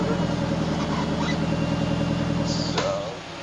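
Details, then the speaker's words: Honda S2000 running with wideband, steady idle with slightly uneven, three-cylinder-like beat as one cylinder seems to fire differently; cause not confirmed; uneven idle. "I definitely feel like there's one cylinder sounding different than the others right now"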